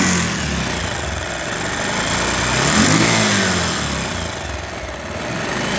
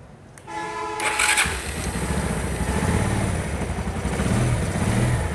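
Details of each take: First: Very old Bajaj Pulsar single-cylinder motorcycle: running with busy fizzy top-end chatter over the exhaust; piston rings still fine, rattle from worn rocker washers and slack timing chain, valve train noise before repair. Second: Very old Pulsar after fitting new rocker arm washers: starter whirrs, engine fires and settles into a steady, even idle with no top-end clatter; tappets still to be adjusted after oil check.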